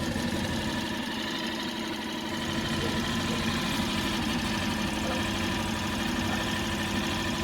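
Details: Mercury 4 hp outboard just revived from a no-start (not a carb issue), on the boat after first start: steady even idle with a light quick patter and no misses; running cleanly.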